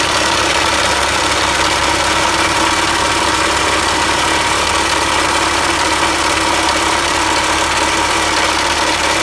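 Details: Mitsubishi L200 at idle: hard, even rattling knock ticking through a steady idle, unchanged over the clip; knock inside the engine, cause unclear.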